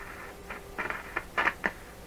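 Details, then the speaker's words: Rogers Majestic (Philips) RM503 tube farm radio with 455 signal fed in, output heard from speaker: steady tone drops out amid random scratchy crackling bursts; intermittent output, suspected loose tube contact, B+ current unchanged. "Okay, it sounds like a loose tube contact, really. Something funny going on there."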